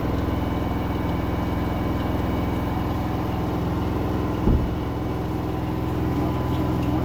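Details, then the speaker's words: LG 10 kg front-load washing machine: steady low drum hum with rough gravelly rattle like pebbles tumbling, from the motor; vibration normal; grinding, cause unconfirmed. "Motor की आवाज़ है। जैसे जैसे तो कंकड़ जैसे घूम रहे हो साथ में।"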